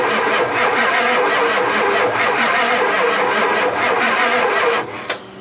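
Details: Ford F-250 7.3 non-turbo Power Stroke diesel, sitting over 10 years, fuel reaching the filter: steady cranking about three turns a second that never catches; cranks but won't start.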